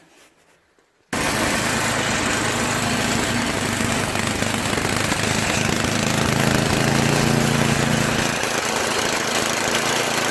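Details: Tecumseh two-stage snowblower engine after clearing the clogged carburetor float-bowl fuel jet nut: fires quickly and settles into a steady, even idle with no surging; smooth idle.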